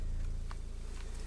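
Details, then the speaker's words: Klipsch ProMedia driver tested in another box at 28 Hz, high volume: deep steady tone with fast even port chuffing, cone moving cleanly without scraping; driver is fine, original fault was caved-in mesh grille hitting the cone. "Well, the sum total of the noise that you're hearing is port noise because of the box. But this speaker is perfectly fine. It's flapping at 28 hertz like it's supposed to."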